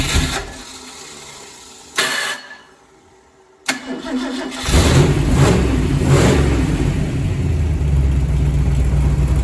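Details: Freshly rebuilt Ford 427 Medium Riser FE V8, first start-up, destined for a 1967 Ford Galaxie 500: starter spins in short bursts, then catches and settles into a strong, steady run with clean revs; healthy.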